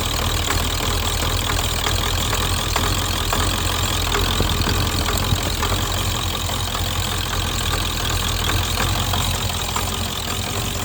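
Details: 7.3 Powerstroke diesel at idle with an uneven, lumpy clatter, stumbling about twice a second instead of steady, sounding like a cylinder dropping out. Misfire at idle.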